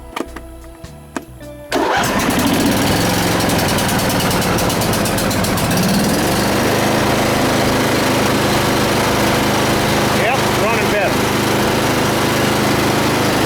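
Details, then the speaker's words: John Deere mower after service (the right plug had a little oil on it and it smoked on startup): brief crank, then it catches immediately and runs smoothly and evenly. Starting and running better after the repair. "oh yeah and start it right up definitely running better it's definitely running better it's definitely starting better"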